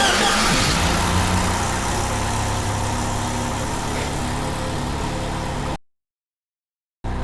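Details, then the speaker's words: 1993 Jeep Wrangler YJ 2.5L idling while timing is set to 8 degrees rocks unevenly with a pulsing beat of two or three a second; owner suspects a vacuum leak or exhaust leak. "Okay. Looks like we're gonna have a vacuum leak. Down here. Like I've got a exhaust leak."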